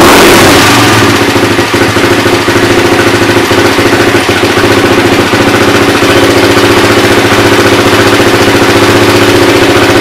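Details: Suzuki LT-R 450 quad after CDI replacement, battery charged, air filter off, choke likely on: steady even single-cylinder idle holding a constant beat with no misses or knocks; carburetor seems fine; normal idle.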